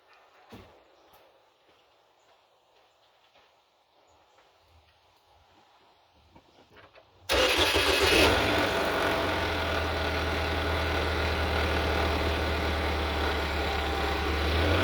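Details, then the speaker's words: GM 2.4L petrol engine throwing fuel pressure codes, timing thought slightly off. Cold start with an uneven idle, then a light metallic rattle as rpm rises; timing chain guide suspected, not confirmed. Engine rattle on revving after cold start. "Okay, I don't know if you heard it or not, but with the RPM increase, you can hear like the rattle, timing chain guide, sort of thing."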